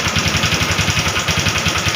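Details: Honda Wave 125R that sat three years with a no-start complaint and no compression, after repair: quick, even low thumps at a steady idle with no misses, ticks or knocks; runs normally.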